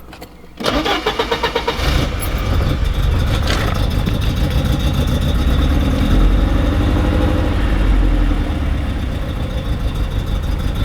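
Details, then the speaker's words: Porsche 944 with a trap-door mass air flow sensor, running after remounting the loose distributor on the cam gear and fitting a generic plug-wire set in the original firing order. Lumpy, uneven idle with an irregular stumble; runs about the same; misfire persists. "man it runs about the same"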